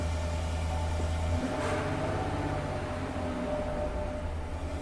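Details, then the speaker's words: Chevy Silverado V8 pickup, crash-damaged auction truck, idling after body control module codes were cleared: low, steady burble with an even beat, no stumbles or skips; seems to run fine. "okay I mean it seems to be running fine I'm not noticing"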